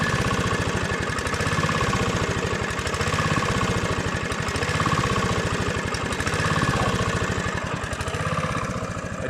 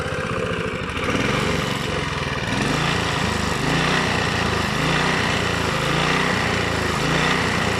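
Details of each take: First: Honda GV150 single-cylinder engine test after rebuild, transmission not yet reassembled. Even, fairly quick beat with steady exhaust pulses and no knock, fairly round on acceleration. Normal running. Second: Honda GV150 single-cylinder engine after rebuild, dropped to idle too quickly. Runs rough and uneven, missing beats as it settles toward idle; the owner says it needs a small adjustment. Engine stumbling when dropped to idle.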